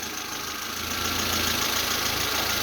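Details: Geely CK, previously jerking and backfiring from about 1000–2000 rpm, after the throttle position sensor was replaced. Even, steady idle with a slight rise in revs and no stumbles or pops; the engine runs cleanly.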